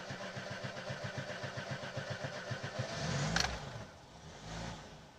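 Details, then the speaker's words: Petrol VAZ-2106 Lada in a garage, hard to start: uneven cranking, a brief catch, then the engine stumbles with misfires before the choke is pulled. Blamed on a sticking float-chamber needle valve ball, which should spring freely. "Вот машина, слышно, как работает, я думаю. Перебои в работе двигателя."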